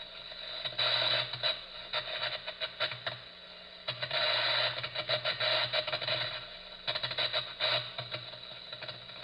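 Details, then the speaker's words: Electrical distribution equipment heard through ultrasound inspection at early stage 3 of failure: erratic crackling bursts over a low electrical buzz. It is arcing, and calls for immediate shutdown for remedial work. "At early stage 3, we will now start to see possibilities of detecting arc or arcing using the ultrasound equipment. That sounds like this."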